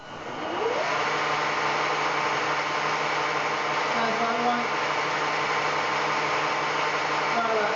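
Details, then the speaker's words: Fehlmann Picomax 50 CNC mill spindle motor run via relay and inverter at fastest speed: steady high whirring hum with a rough tearing edge; harsh spindle noise, cause not pinned down. "so that's the miss now being of the fastest speed sounds like something just ripped out"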